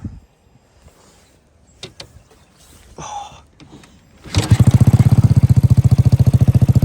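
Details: Single-cylinder ZSF motorcycle converted to Yamaha YBR EFI, after error code 12 (crank sensor) fix, MOT passed: handling noises, then fires up into a steady, even thump of three or four beats a second; running cleanly.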